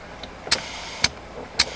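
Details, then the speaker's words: Four short, sharp air bursts about half a second apart as the valves open and air feeds the bags of an air-ride setup whose compressor the owner believes is dead; a fill line was found uncleaned, and the bags now inflate normally. "is air going into the bags my friends"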